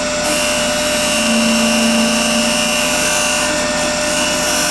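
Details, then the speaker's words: Wood lathe at about 3,000 rpm, shear cutter on the outside of an ash/maple segmented bowl held by glue hub and tailstock: steady high whir with an even, smooth cutting hiss and hair-like chips. Clean cutting after chipping at lower speed. "so much of this is sound. And then if you can see those chips, they're just like hairs. It's cutting super, super that. I'm happy with that."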